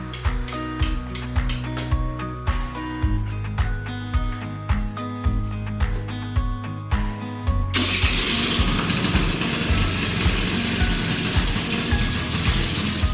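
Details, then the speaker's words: 38-year-old Honda Vision (Elite) moped with a bone-dry choke, new spark plug and battery, reeds fine: about eight seconds of slow, even cranking before it catches and runs ragged; hard starting, choke still suspected. "it's running but barely and that choke is still a major problem"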